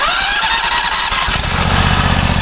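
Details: Tractor with basically new engine, batteries charged, first start of season, belts loosened, choke open: brief start-up squeal then steady even idle with no misses or knocks; normal start and idle.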